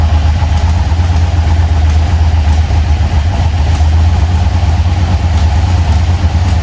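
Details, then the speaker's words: 1980 Chevy C10 with 377 stroker V8, Edelbrock AVS2 carburetor, MSD ignition, new plugs, firing order checked: deep idle with an uneven, lumpy beat, not hitting on all cylinders; valvetrain noise, possibly solid lifters needing valve adjustment suspected; rough idle. "it'll run running idle now but it's just sounding like it's not hitting on all cylinders it's just sounding a little bit rough"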